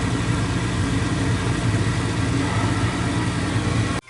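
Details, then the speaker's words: Old gas furnace blower that had been noisy and buzzing with a burning smell, heard after the blower motor was oiled, cleaned and blown out with compressed air: a steady, even low hum with no scraping, squeal or rattle, spinning smoothly. "Removed an oil blower motor, cleaned and blew out with compressed air. So we'll give that some time and see what happens."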